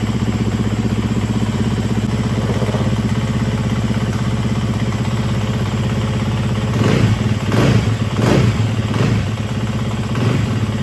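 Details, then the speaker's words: Neighbor's large dirt bike, sat for years, oil good, clean spark plug, new battery: even single-cylinder idle, then quick throttle blips rising and settling cleanly; engine running healthy. "run completely fine. Oh, let me check the oil level. Oh, it's running good."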